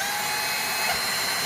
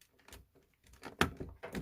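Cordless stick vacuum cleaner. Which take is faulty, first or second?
first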